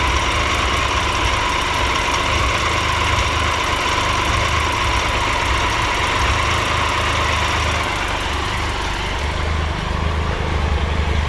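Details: 2013 Triumph Tiger Explorer, 31,000 km, idling after dealer valve clearance check and adjustment: light, quick tick and rattle, less than before but still noticeable, attributed to a small exhaust header leak.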